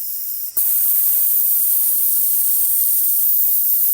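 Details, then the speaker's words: 1991 Cummins NT88 Big Cam on Peterbilt cab-over, engine off, intake pressurised to steady 15 psi with air compressor running to test boost gauge: constant high-pitched hiss; air leak beyond the boot, later found at the aftercooler. "so I am holding a steady 15 right here with the air compressor running which is great but I do hear air leaking somewhere where it's not on this boot anymore so we're going to have to investigate that"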